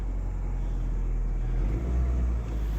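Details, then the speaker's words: 2005 Nissan Altima that would not start, after cleaning the intake sensor, new filter, clearing sand from the intake manifold and topping up 10W-40 oil: smooth steady low idle with no misses or ticks; engine light off, running healthy. "work like a charm it has a engine lights on now it's Asian lights off"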